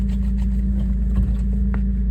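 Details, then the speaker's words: 1998 Suzuki Jimny K6A turbo, about 124,000 km, cold start: smooth, even low hum at a slightly raised cold fast idle, no knocks or misses; healthy engine. "so this is its cold start. It is going to uh idle a little bit higher because again it is cold."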